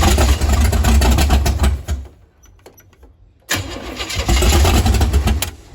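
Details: 468 big-block Chevy V8 in a Nova, cranking on starting fluid and 87 octane though set up for 93/race gas: starter churns steadily with occasional pops and stumbles, never catches; ignition timing too far advanced.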